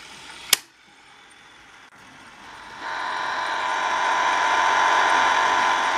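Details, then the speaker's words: Webcor EP 2104 tape recorder in poor stored condition, motor just kicked on: click then thin steady whir with building hiss, labored running; owner thinks it needs lubrication, amp still good. "motor just kicked on [Applause] it's try number [Applause] I think it needs lubrication"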